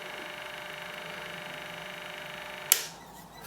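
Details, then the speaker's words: Film camera motor at crystal sync speed, 24 or 25 fps: quiet, even high whirr at steady pitch for a few seconds, then a click as it stops; running smoothly, warning lamp off. "Now, that light is not an on-off light, it's a warning lamp, and it warns you that the camera is not running in crystal sync, which is fine if you can hear the camera running and it's doing"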